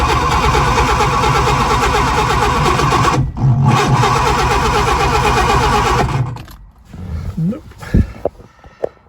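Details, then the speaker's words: Lotus Elan, 3 years off the road, first start attempt; starter cranks evenly about 3.5 turns/s for six seconds without catching, weak spark, plugs not wet, fuel suspected, distributor later suspected of pointing wrong: crank no start, distributor timing wrong. "right well I've taken the plugs out again they're not very wet I don't think it's um it's getting enough fuel through so I put some more Petrol in cuz it might just be low on petrol"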